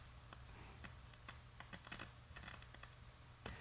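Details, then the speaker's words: 1951 Northern Electric Baby Champ tube radio with 1.5 V measured on the 50C5 output tube control grid (pin 2), where near zero is expected. Irregular crackles and pops over a low hum point to an audio output fault, cause still being traced. "Hear the crackling in there. It's crackling away."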